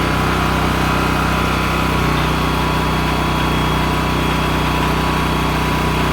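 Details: Honda EM6500SX electric-start generator after carburetor cleaning and oil change, loaded with a heat gun through an amp/watt meter. A steady, even drone at constant speed with no surging, knocks or misses. It runs normally under load.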